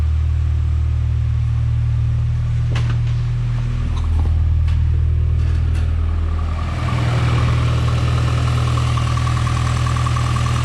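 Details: 5th-gen Honda Prelude after upgraded fuel pump and filter install, fuel pressure about 45: steady, even low idle hum holding smooth with no stumble or hunting, no leaks; healthy idle.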